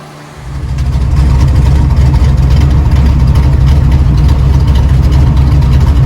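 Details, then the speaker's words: Truck "slow10" after fixing an overheating issue, now running cooler: after the start, a deep steady idle rumble under a constant rush of cooling fan air; fans finally pushing air, idle even. "I know you guys hear the fans and all that, but these things are finally pushing some air."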